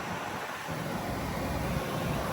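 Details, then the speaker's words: Whynter 14,000 BTU dual-hose portable AC brought indoors (too cold at 50 degrees outside) and turned down low so the compressor kicks in: steady whoosh of air with a low, even hum underneath once compressor starts; normal running with compressor on. "I have to turn it down pretty low so the compressor kicks in. And there you see it, how loud that actually"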